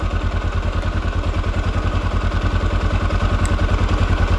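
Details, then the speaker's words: 1979 Honda XR500 single, freshly fully rebuilt, idling after noisy top end was relatively solved (fake cotter pin fitted): even low thump at steady fast idle, no ticking, engine much quieter; normal idle. "I got the fake cotter pin in here. Engine's definitely quieted down a lot."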